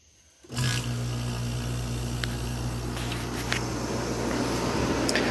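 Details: 1986 Kenmore air conditioner on high cool after capacitor replacement and R22 top-up: steady low compressor hum and even fan rush, blowing ice cold; running normally.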